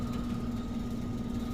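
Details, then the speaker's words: Downstairs HVAC outdoor unit starting up after squealing before, diagnosed as needing a capacitor; refrigerant pressures still to be checked. Steady, even hum with a clean low drone and no squeal: a smooth, normal start. "Startup. That sounds a lot better, folks."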